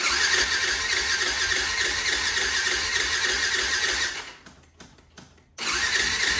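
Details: 2004 Yamaha WR450 single after freeing a stuck carb float needle (drained carb, tapped side): fast, even buzzy idle that dies about a second, then catches and keeps running.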